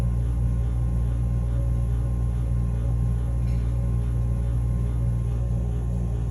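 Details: Furnace running with a steady low drone and a faint rough grinding edge, no rhythm; capacitor tests OK; cause of the humming and grinding not confirmed.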